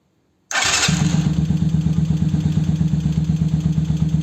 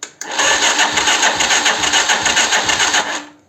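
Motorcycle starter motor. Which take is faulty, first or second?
second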